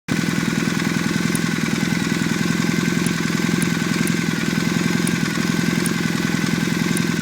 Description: another one of the warmed up engine making strange chirping sounds, help me identify it